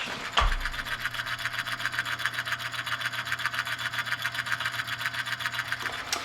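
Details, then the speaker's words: NuTone L35 (or K35) chime clock with a 16-volt motor, apparently new old stock, held up to the microphone; it keeps good time. Steady low hum with a rhythmic clatter of two or three beats per second, like a train on tracks: noisy motor. "it very much sounds like a train going down the tracks"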